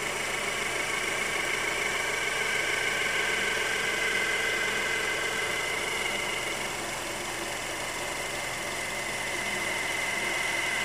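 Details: 2011 Honda CR-V engine at cold idle shortly after start, also when stopped with A/C on: steady idle with busy metallic chatter and a thin high ring, no clear knock; cause unknown.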